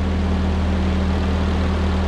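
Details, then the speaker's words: 1946 Ford 2N tractor, flathead four, reassembled after head gasket replacement and fresh oil: steady, even low idle hum with no knocks, misses or hiss. Normal idle. "it's been purring like a kitten for a little while and I've got it back together so let's see if it goes down the road"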